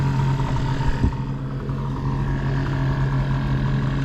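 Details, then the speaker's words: New dinghy outboard engine being broken in, run below full speed at part throttle: steady, even drone at a moderate constant speed with no knocks or misses, running smoothly. "So far we've gone to the boat back there. We're not going full speed because we're breaking this engine"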